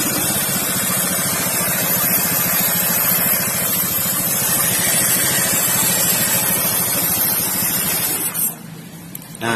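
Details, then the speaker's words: Automatic scooter CVT: a steady rough rumble with a fast flutter over the engine at constant speed. Owner suspects worn pulleys, final-drive bearing or gears, rollers, or a wheel bearing; not confirmed. "Nah, ini suaranya seperti ini. Yang rusak nanti dicek saja dulu. Mungkin di bagian puli-puli atau bisa jadi laker bagian gardan atau laker roda."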